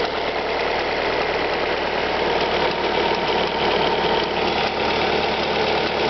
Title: Alfa Romeo 156 1.8 TS ticking engine noise cold start